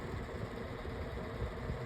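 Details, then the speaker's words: Pedestal fan, 10 blades, four speeds, on speed one: low uneven hum with irregular rumbling thumps, motor housing shaking, vibration from speed two down, worsening over time; rough motor, cause unclear. "No, that that is awful sounding. I don't like that. And I think it's got also gotten worse ever since."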